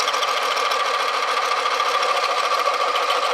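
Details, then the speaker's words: Sorby mini texturing tool on a wood bowl, tool raised and handle dropped, cutting the wrong way instead of at 45 degrees: fast, uneven buzzing rattle over a steady ringing tone; the tool chatters and chews a double, triple pattern. "This time I'm going to raise the tool, drop the handle. Oh, can you hear that rattling going"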